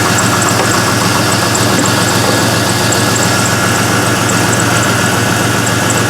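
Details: LS-swapped Mazda B2200 V8 at idle after replacing a failed Bosch 044 fuel pump, with fuel pressure at 50 psi and the regulator working: steady, even idle with busy mechanical chatter and no stumbles or misses. Normal, healthy fuel delivery.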